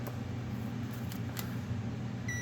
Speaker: so you hear it beeping it's the same it's at the same potential and yet we still have the light lit somehow